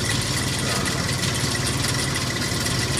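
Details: 2002 Ford Explorer 4.0 SOHC V6, about 220,920 miles, idling with fast dry metallic rattle over engine hum: timing chain noise before timing chain replacement.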